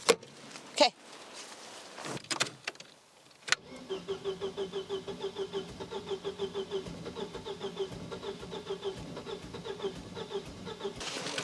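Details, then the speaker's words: Volvo winter car, in for a driveshaft support bearing swap: the starter churns evenly, about four chugs per second for seven seconds, and the engine never fires. It cranks but won't start, though it had started earlier. "Sí, como puedes ver, ya no quería arrancar. Eso es típico."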